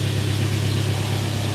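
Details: Mercedes W123 (S123 estate) idling after sitting nearly three years; steady, low, even idle hum with no knocks or stumbles; normal idle.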